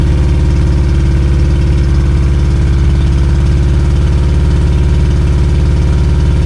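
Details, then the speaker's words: 2002 Yamaha 90hp outboard, run after sitting about two years, burning off Seafoam: steady low throb with slight unevenness, idling fast because one carburetor is leaking badly; that cylinder also has low compression. "See, it's still leaking a little bit here. See, it's leaking a lot. So, that's one of the reason it's not idling properly."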